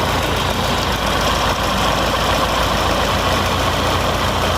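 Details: Fiat Palio with GM 1.6/1.8 petrol engine, misfiring after refuelling with check-engine light on, idles with a rough, uneven beat; cylinder 2 misfires, plug lead and coil test fine, injector pulse test points to a faulty injector.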